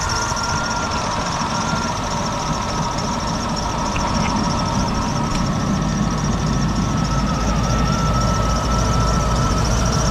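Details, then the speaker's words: 59k-mile Cadillac Seville after backyard crash repair, engine idling: fast uneven flutter about four beats a second on the engine note as the bent cooling fan wobbles near the radiator; fan works but blade is bent. "Wobble away, wobble baby, wobble baby, wobble."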